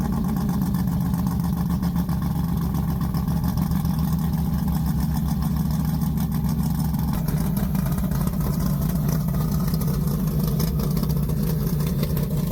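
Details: Polara 500 with a big-block V8 and 4-speed: a deep, lumpy idle with a free rev partway through, even firing, no knocks or ticks; healthy engine.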